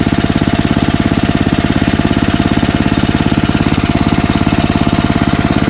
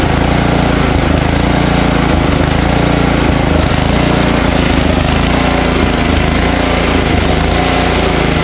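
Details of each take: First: Ariens ST1128 snowblower, 11HP Tecumseh Snow King engine, after carburetor cleaning cured surging (owner had expected the 90-degree carburetor to be inadequate for over 5HP): steady, even single-cylinder chug holding speed, no surging; runs fine. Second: Ariens ST1128 snowblower, 11HP Tecumseh Snow King engine, electric start at full throttle with choke after priming: loud choppy single-cylinder chug rising and falling about once a second, surging slightly; owner suspects buildup in pilot jet, idles without stalling.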